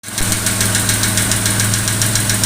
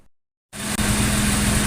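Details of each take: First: Jaguar 420 petrol engine idling with a sharp, steady tappet knock, about three to four taps a second, from the valve gear; the car otherwise runs perfectly. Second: Jaguar 420 petrol engine after replacing a suspect valve bucket/shim to cure tappet knock idles smoothly and evenly, steady hum, no ticking from the valve train: normal idle, no valve tapping.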